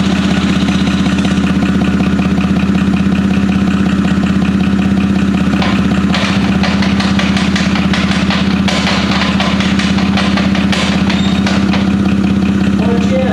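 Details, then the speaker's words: Boosted off-road machine after drag strip runs: a heavy, fairly regular knock about three per second over a rough idle, sounding like a broken rod but coming from the transmission. It stops with the clutch in and the engine runs fine; transmission knocking, cause unconfirmed. "certainly not the noise you want coming out of the transmission now I would have been heartbroken if the engine was making that noise because it sounds like a rod sounds like a broken Rod but the engine's fine"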